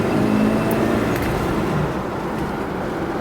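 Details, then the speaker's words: 1976 Cadillac Seville 5.7L V8, believed low miles, accelerating on the road: steady, smooth engine pull rising with road and wind noise, no knocks or misses, upshift and downshift normal; runs and drives great. "upshift downshift it's a nice driving car"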